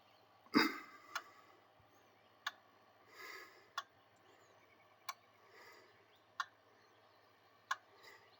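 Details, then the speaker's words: Diesel pickup with V8 after replacing all 8 glow plugs, injector buzz test with hood open: sharp single clicks about 1.25 s apart, all eight injectors answering electrically. "So yeah, it seems like all injectors at least the mechanical or electrical portion of it is working."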